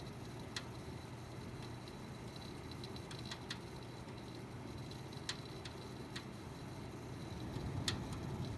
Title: Pc making weird crackling sound